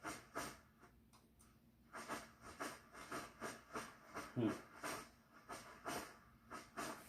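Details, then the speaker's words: Svea 123 backpack stove from the late 1970s, first firing after 40+ years unused, on new fuel: burner surges in soft hissing puffs about twice a second instead of a steady roar, with uneven flame. Owner suspects a clogged jet. "Well, after 40 years, I'm a little different also, so it usually doesn't do that pulsing. It'll just get to that high heat range, but maybe it's got"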